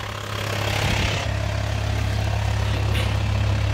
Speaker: Ну вот работа двигателя такая движок не трясётся стоит ровненько